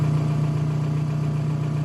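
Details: 1999–2003 VW TDI ALH diesel idling during injection pump timing check with VCDS after a timing belt job: steady low diesel rattle, even with no misses or uneven knocks; timing spot on, engine healthy.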